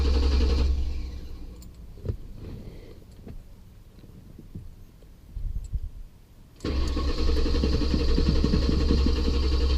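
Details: Crown Vic that lost power at 70–80 mph, codes P1235, P0511, P0403, P0201–P0208: steady cranking about four beats a second, quiet clicks, more cranking, fuel pump audible; never catches, cause unknown.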